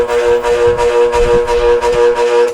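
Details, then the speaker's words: Rewound motor with electronic start switch, powered on breaker-protected mains: steady buzzing hum with pulsing beat and no run-up. Motor energized but fails to start; connection wrong. "nessa configuração ele não partiu tá vendo tá alimentando um lado e o outro"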